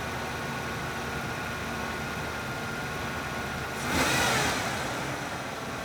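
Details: Ford Ranger 3.0 after replacing the camshaft synchronizer housing to cure squeaks, first start afterward: steady mid-pitched idle with one brief throttle blip that settles quickly and no squeak standing out over the engine; normal idle.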